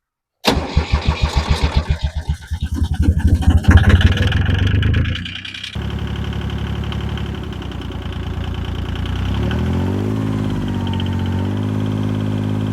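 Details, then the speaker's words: 1977 Yanmar YM2500 diesel tractor after fuel filter replacement: quick cranking pulses, catches cleanly and settles into steady even low idle, no knocks or misses; normal start and idle, sounds healthy. "There you have it, man. Everything sounds really good. It sounds healthy. It's a good running tractor, y'all."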